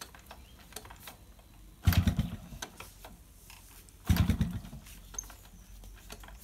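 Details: Yamaha RX100 two-stroke, morning cold kick start after heavy rain: two kick strokes about two seconds apart each give a short rough churn that dies without catching; hard starting, spark plug suspected.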